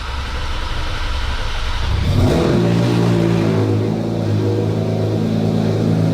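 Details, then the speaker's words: 2024 Porsche 911 GT3 RS (992) rebuilt over four months after being fully submerged in water, first start after rebuild with new exhaust, PDK untested: cranks, catches cleanly, smooth even flat-six idle, no knocks or misses; normal start, exhaust sounds correct. "escapamento tá bom. Parece bom. Parece bom. O som tá correto."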